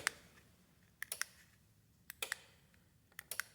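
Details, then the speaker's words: DIY remote-control killswitch relay for a pull-start, non-battery ATV: sharp little clicks in bunches about once a second in a quiet room as the relay snaps over; switching works properly. "let me get a different angle here and pull straight up this thing for you guys all right you hear that click"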